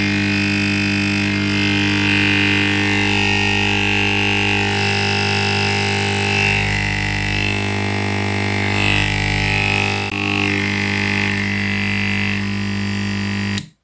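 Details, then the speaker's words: Gas pressure booster compressor machine running very loud: a steady electric hum with strong mains buzz and rattly overtones as the casing vibrates against the motor. The fix starts by opening the bottom cover. "जिस तरह फ्रेंड्स ये एक मशीन है और इस वक्त ये बहुत ज़्यादा आवाज़ कर रही है।"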